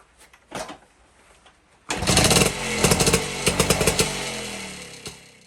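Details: 1952 BSA D1 Bantam engine in a test rig, first start in over two years after tickling the carburetor; catches after a couple of pulls, raspy buzzy two-stroke beat, even firing, no knocks: normal running.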